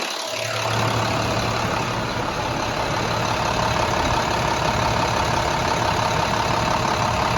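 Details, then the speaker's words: Rebuilt International DT466E diesel after repair, hood back on: steady, even idle with a smooth low beat, no knocks or ticks; not overheating, oil pressure holds 35–40 psi; normal diesel idle. "but i mean the trucks starting up nicely i mean that it's not overheating oil pressure maintains 35 40 pounds of pressure at the engine oil pump"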